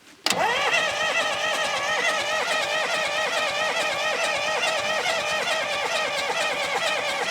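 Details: Diesel sawmill wheel loader sat 20 years: steady whirring crank pulse throughout, never fires or picks up; they think it's not getting fuel, sounds like it wants to start.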